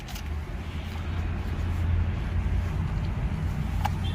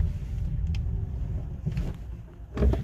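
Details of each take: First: 2019 Hyundai Kona EV at full steering lock while accelerating then braking, recorded with the window open: intermittent sharp tick over low drivetrain rumble from the drive shaft spline, a common Kona EV fault. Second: 2019 Hyundai Kona EV on test drive after lubrication: low, steady road rumble with no ticking from the drive shaft while turning at full lock; noise gone for now but may return, not a root fix.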